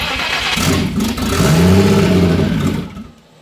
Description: I'm making progress but it still won't run.